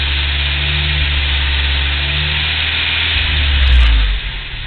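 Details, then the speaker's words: Warm engine held around 2,000 rpm, light tick riding on a steady low drone, ticking pretty bad; goes away at about 800 rpm but audible at 1,000 once warmed up; engine ticking noise, source unclear. "It's ticking pretty bad."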